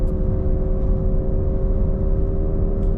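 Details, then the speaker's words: Car driving on back road: steady mid-pitched hum over road rumble, louder turning left with weight on the right side, quieter turning right; worn wheel bearing suspected, not confirmed. "And whenever I turn left, so more weight is on the right side of the car, it gets louder. And whenever I turn right, so more weight is on the left side of the car, it gets quieter. Um, but there there's just a humming sound."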